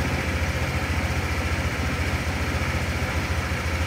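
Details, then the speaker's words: Honda fuel-injected motorcycle after an ECU/ECM injection reset that clears the stored fault and blinking warning light: small single ticks over at a steady idle with an even beat, no stumbles or hunting; normal idle. "dan motor kita Nyalakan insya Allah akan normal kembali"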